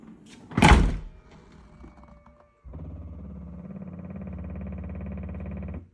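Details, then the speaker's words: 2015 Audi Q7 tailgate shows open on dash when closed: after it thuds shut, the loose latch motor assembly keeps whirring with fast ratcheting clicks, likely an internal gear skipping; suspected faulty internal limit switch. "you hear the regular noise, but then you also hear that kind of clicking noise, which is probably the gear inside skipping on another gear or something like that. The motor continues to run. It doesn't know that it has to stop."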